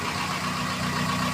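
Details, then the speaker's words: Fiat Doblo 1.8 16v idling before the lifters (tuchos) were installed; the engine had been noisy with the oil light on. A light, quick tick still rides on top of the engine, following idle speed, a hydraulic lifter tick. "É, funcionei o bichão aqui, velho. Ficou com barulho em cima ainda."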